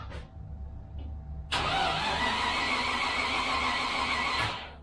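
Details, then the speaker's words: Range Rover (Lincoln Green) on first-start attempt, serviced ignition, fuel from a jerry can: about three seconds of steady starter whirring, engine never fires; spark check shows no spark, owner plans a direct 12 V lead to the ignition coil. "no spark why are we getting no spot Richard okay that's irritating"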